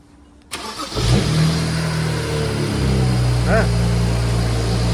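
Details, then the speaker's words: BMW E93 335i, first start after ARM Motorsports full bolt-on kit with block-spacer boost source and fresh coolant: starter whirs briefly, then the engine catches cleanly into a steady, even idle, a successful normal start. "Starts. Success."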